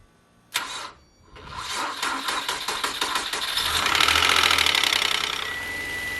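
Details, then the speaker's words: 2004 Nissan Altima 3.5 L after misfire repair with manifold removed and refitted, battery on charger: short crank, catches and settles into even quick idle, no stumble or miss; check engine light not returned. "It is feeling a lot better when you sit in the car. Like a lot effing better. The check engine light hasn't came back on yet."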